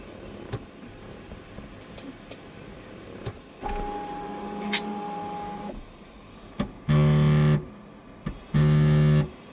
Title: kobra 3 max grinding noise